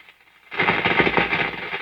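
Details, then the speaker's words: Restored antique Philco 46-480 AM/FM/SW radio on the shortwave band: a sudden loud hiss and crackle with only a faint trace of a station underneath. Mostly shortwave static and noise. "This is shortwave. There's something there. Behold, I come quickly. Hold that fast which thou hast, that no mistake. So he was picking up some shortwave and some noise."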